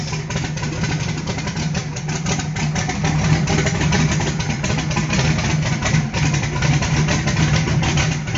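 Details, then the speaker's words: Carbureted small-block V8 on pump E85, CSU blow-through carb, no choke or extra cold-start fuel, just started cold: steady low lumpy idle, no stumbling or dying; normal cold idle. "it ain't dying it's not falling on its face that thing has no temperature at all e85 hasn't even started to want to ignite"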